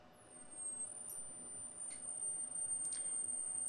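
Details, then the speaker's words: 15 kV high-voltage inverter kit for an ESD simulator at 3.7 V input: thin steady oscillator whistle with faint fizzing spark as a steady arc jumps the gap; normal high-voltage arc. "3.7 volts we're getting quite a steady discharge across those two terminals so we're clearly achieving our 15 kV"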